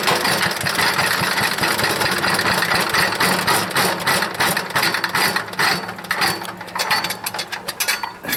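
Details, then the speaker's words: Wood chipper's small engine, smoking, leaking, no air filter: ragged, irregular sputtering chug; owner suspects a bad float and dirty carburetor needing cleanup. Rough running. "this whole beast it's a smoker but it runs and i think i need a carburetor cleanup"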